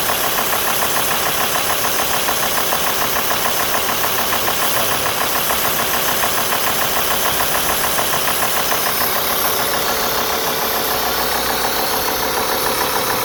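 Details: Alfa Romeo 2.4 JTDm diesel at warm idle, 90 °C water temperature, with a crisp, even knock about twice a second cutting through the clatter; engine knocking when warm, source unidentified.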